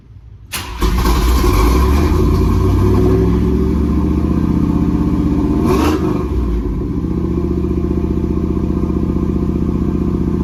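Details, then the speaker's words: 1984 Chevy Camaro V8 with an electric fan replacing the clutch fan, cold start: brief crank, then it catches and holds a loud, throaty, steady fast idle with an even rumble; normal. "I'm gonna give you guys a cold start too, let you hear how it sounds."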